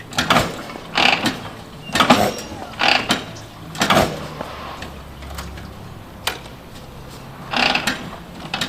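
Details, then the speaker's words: 1949 Harley-Davidson Panhead, original paint, being kickstarted: five or six mechanical kick thrashes about a second apart with no catch or firing; hard starting, gurgling heard, owner suspects not enough fuel and adds more gas. "Pipes up a little bit. I hear it gurgling. Yeah, not enough juice. Give it a little more gas."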